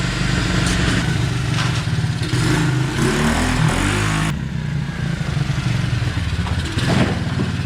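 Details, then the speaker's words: 2016 Tao Tao 110cc pit bike just after top end rebuild (new piston rings, head gasket), idle screw being adjusted, warming toward operating temp to seat new rings: even, steady idle with a blip or two, no knock or tick; healthy. "But just gonna let it warm up, get those new piston rings with a chance to seat in there, and we'll take it for a ride."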